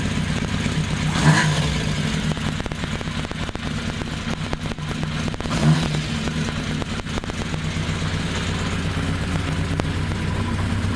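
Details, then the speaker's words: 1982 Kawasaki 750 LTD four-cylinder, first start after rebuild with new pod filters fitted, carbs not yet rejetted: deep burble mostly steady but lurching a couple of times; uneven idle, expected until the carburetors are rejetted. "it still has to be rejected of course the carburetor and so it's not going to be running completely smoothly yet"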